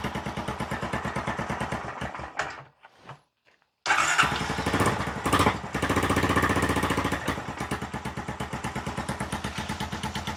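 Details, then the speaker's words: 2022 Honda Recon 250 ATV, first start after a top-end rebuild (new piston kit, valve seals, lapped valves): it settles into a slow, loose idle with a sharp puff on each firing. The owner suspects an exhaust manifold leak and will raise the idle. It runs quieter than before. "Sounds like it got a little exhaust leak, so I'm probably gonna have to tighten up that exhaust manifold."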